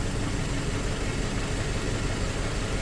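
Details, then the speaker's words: 2004 Toyota Tacoma four-cylinder, 141,000 miles, cylinder 1 dead miss with a known-good coil: low, shaky idle with a dull uneven thump. "We'll fire it up. We definitely still got our shake, and should be."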